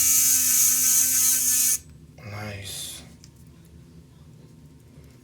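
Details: Sonicare DiamondClean repair, test after tightening the screw and refitting the plastic piece: a strong, steady high buzz holds even for about two seconds, then cuts off cleanly. The brush is vibrating properly.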